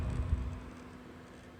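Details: EVGA 750W Bronze BQ power supply under load: a steady low electrical buzz holding one pitch over a soft rumble, bad coil whine.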